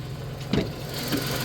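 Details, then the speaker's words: 1991 Dodge Grand Caravan 3.3 V6, abandoned 21+ years: a steady, even, low idle hum with one brief early clunk and no misses or knocking while transmission fluid drips on the pan. The engine runs very well. "I'm just in awe at how well that motor runs. I mean, listen to this thing."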